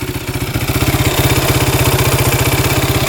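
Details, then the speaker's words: 2008 Kawasaki KFX450 fuel-injected quad, warm after hard riding, restarts instantly: crisp even single-cylinder beat about thirteen pulses a second, no knock or misses, no overheating; healthy warm idle. "engine's tight it was getting a little warm by my leg but that's just common starts right back up instantly no knocking"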